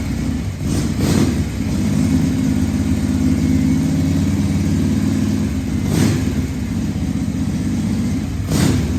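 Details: 1978 Harley-Davidson Shovelhead FXS Lowrider after cleaning the carburetor's accelerator pump and fine-tuning the carb, test ride in 1st–2nd gear: strong, even V-twin beat pulling cleanly through light throttle and short revs, no misfire or stumble; running pretty good.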